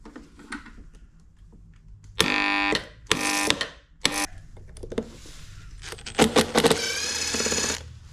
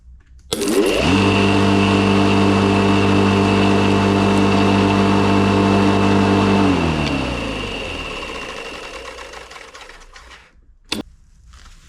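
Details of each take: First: If your electric lawn mower won’t start and just makes noise or struggles to spin the blade, the problem is often a worn or seized bearing. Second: Electric lawn mower: motor spins up, holds a steady even hum, then coasts down quietly after switch-off, normal running.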